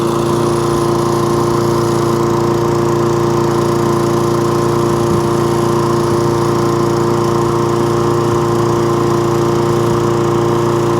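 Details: Toro Recycler mower with an intermittent cut-out after 30 seconds to a minute, suspected fuel; after the main jet was cleaned it runs on test with a steady, even note and no cut-outs or surging, likely fixed.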